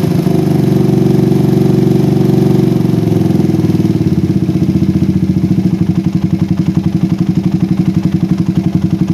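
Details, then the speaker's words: PE24 carburetor after moving the needle clip from the middle to the top, with the air screw now about 1 to 2 turns out. An even, low putter at idle slows slightly toward the end; the idle is normal, unlike the earlier rich hunting. "Nah setelah saya pindahkan ke klip paling atas settingan anginnya dapat guys ya ini di sekitar e 1,eng sampai du putteran angin dan ini cukup normal untuk digunakan sehari-hari idlenya pun berbeda sekali dengan Sebelumnya"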